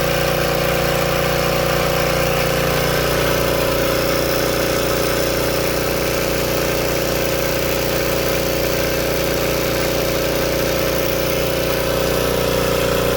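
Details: Old Tecumseh-powered generator revived after years outdoors in rain and snow: constant, even drone holding one speed with no surging or misfires; running steadily and healthy.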